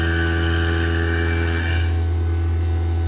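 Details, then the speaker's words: Fieldpiece VPX7 10 CFM A2L vacuum pump, switched to its quieter high-vacuum mode only after reaching 3,000 microns to save oil, pulling toward 15 microns. A steady deep drone as the gurgle fades: running healthy and quiet. "Diba? Tahimik na siya guys. Ang bilis kasi hanggang dito lang kasi guys eh. Kaya na ito guys mag-vacuum up to 15 micron."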